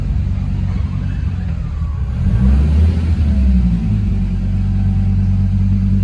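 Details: 1.8T-swapped Toyota MR2 on a base map, driving: smooth even engine note pulling cleanly up through the revs and settling back, no misfire or stumble; normal running.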